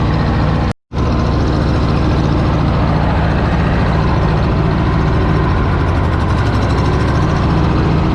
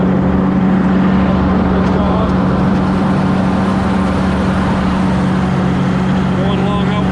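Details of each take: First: Cub Cadet Low Boy 154 tractor after spark plug change: uneven skipping beat instead of a clean idle; misfire because the two front plug wires were swapped; runs well once corrected. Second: Cub Cadet Low Boy 154 tractor in back field: small engine running smooth and steady, low even hum, no skips or misses; running pretty good.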